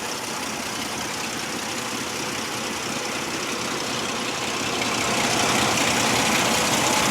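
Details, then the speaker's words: 2004 Ford Explorer Eddie Bauer 4X4 with the 4.0 L six, heard from underneath: quiet, even idle with only a soft hiss. No valve train noise, and no knocks when revved. Normal idle. "Long story short is, I don't hear any valve train noise. When I've revved it, I don't hear any high rev knocks."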